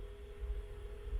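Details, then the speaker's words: $5 garage-sale Sega Dreamcast booting for the first time: loud but normal steady fan and drive hum with no rattle or grinding; internal clock battery depleted. "But will it read the disc? You can hear how loud the Dreamcast is."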